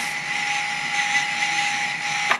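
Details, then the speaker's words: Mini FPV freestyle quad, armed: one motor twitches and won't rotate with throttle while another gives a steady high buzz near one kilohertz with a sharper whine and no spin-up. Motor or ESC fault suspected; a motor swap planned to isolate it. "Okay, so this one right here is just not wanting to work right, and I'm getting a really crazy hum out of one of these other ones."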